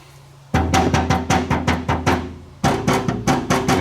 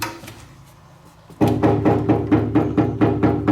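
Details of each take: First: Citroën body panel area lacking Tiger Seal silicone behind it: tapping gives hollow, ringing knocks that boom briefly; undamped panel oil-canning, to be fixed by adding silicone. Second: Citroën body panel backed with 1 mm metal plates bonded with Tiger Seal silicone, no foam yet: knuckle taps about twice a second give short, dull thuds with no tinny ring; the sealant has deadened the oil-canning.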